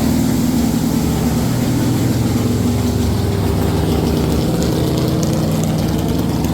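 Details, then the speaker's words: Stock 440 Mopar big block from a camper, in a Chevy K10, with the biggest cam that fits, at about 700–800 rpm idle, gauge about 175°F: lumpy, uneven loping idle with stumbles. Misfire suspected from two plug wires with bad spots, or too little rpm over the cam; new wires planned. "We think the one plug wire had a little bit of a bad spot in it. Actually, two of them did. We're gonna put new plugs on or new wires on it, but we think that's why it's misfiring."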